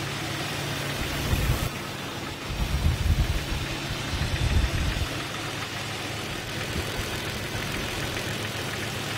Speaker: the ambient noise is very hard to pinpoint almost impossible to tell where the sound is emanating from it seems like the middle of the engine block this noise could be easily mistaken for a piston slap